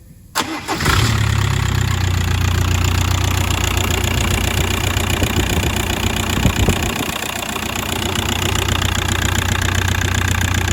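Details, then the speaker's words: 2001 Audi A4 B5 1.9 PD TDI (AJM) after timing belt and water pump replacement; it catches straight away into a steady diesel idle, with no squeal and no noise from the faulty aircon compressor this time. Normal start and idle. "yep so they didn't actually make the aircon noise that time so um but see it just struck straight up"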